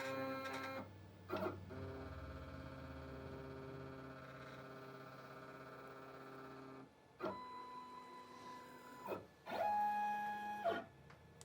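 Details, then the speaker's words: New Shapeoko 5 Pro 2x4 CNC using the bit setter to probe tool height on the Z-axis after initialization; short stepper whines with pauses as Z lowers, touches off and retracts; normal probing. "And this is using the bit setter to check the height of the bit, or the Z-axis."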